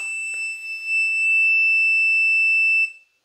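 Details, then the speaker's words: Inverter on a drained 100Ah self-heating LiFePO4 battery, just over 100 Ah used: when the compressor tries to start, a shrill, steady high-pitched low-battery alarm holds about three seconds, then cuts off as the battery can't supply the load. "there it went it tried to do it and it just couldn't do it I'm going to turn that off I don't want to hear the beeping"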